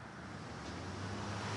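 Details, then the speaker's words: Triumph hardtail motorcycle, first start after nearly a year unrun, full cold start on the third or fourth kick: low rumble that builds and settles into an even run within seconds. "if we can start up on like what the third kick fourth kick something like that and that was I swear on my life that that was a full-blown cold start"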